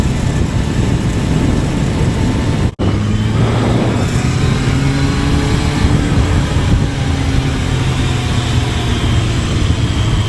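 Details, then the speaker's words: Kawasaki ZRX1100 held near 3,800–3,900 rpm (noise around 4,000 rpm, e.g. fifth gear): thin buzzing rattle over the four-cylinder engine note, present for three years, traced to a loose headlight adjuster bolt, later stiffened to stop it. "And this this I had this buzz rattle in the background that kind of got irritating right there."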